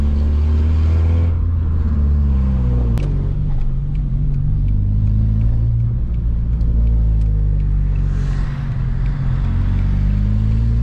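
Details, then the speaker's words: VW Bora (Mk4) wagon 1.6 16-valve after a muffler delete with a broken exhaust pipe: the engine revs up and falls back with a raspy, puffing sputter as exhaust escapes from the break instead of the back pipe. "It's making that kind of like that sputtering kind of sound. I think if it was coming out of the very back pipe, it would sound a lot cleaner, but it's what it is."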